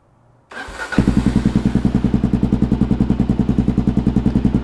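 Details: Kawasaki KLR650 single, rebuilt project bike, completely cold start without choke: starter whirrs briefly, engine fires right up into a steady even thump around 3.5 beats per second; healthy cold idle, idle may need adjusting.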